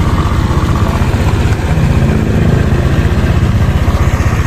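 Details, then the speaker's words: 2017 Honda Vario 125 scooter, about a year of use, running on Pertalite: quick, steady putter at idle with no grinding or knocking; the engine idles smoothly. "Nah ini teman-teman yang saya sampaikan tadi, ini nggak kedengeran ya suara grok-groknya. Ini mesinnya halus banget sih suaranya ya."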